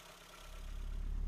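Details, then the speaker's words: Mercedes 190E 2.3 16v Cosworth, cold start, valve clearance reportedly set loose; fires and settles into a low, even idle heard at the exhaust, though owner notes slight imbalance from cylinders not firing the same; generally healthy. "Sounds pretty good, at least out the back."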